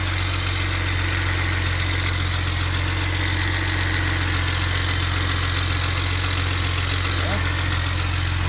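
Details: 2007 BMW 335xi N54 with 135,000 miles, idling after first start following turbo replacement, oil burning off with some smoke: steady, even low drone with no knocks or misses. Normal idle.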